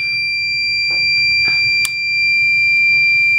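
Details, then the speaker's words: Basement Watchdog Special (Pro Series 1730) backup sump pump controller: continuous shrill high-pitched tone held for several seconds; the controller's water alarm. "that's the water alarm that's the system operating life"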